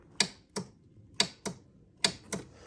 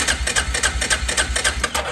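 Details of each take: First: 2005 Arctic Cat 400 ATV, key turned: only sharp dry clicks and no cranking. Starter motor failed and was replaced. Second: 2005 Arctic Cat 400 ATV after replacing the starter motor, battery connected: quick, even chugging as the engine turns over freely with no clicking; the new starter works.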